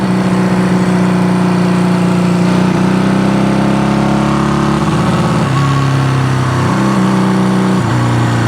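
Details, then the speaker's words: Honda CB200T motorcycle first run after camshaft and valve replacement: revs hold a steady drone, then stumble and dip unevenly as the throttle opens; breaking up, blamed on a bad carburetor; transmission works. "yeah the it's breaking up here transmission's working and the engine sounds good"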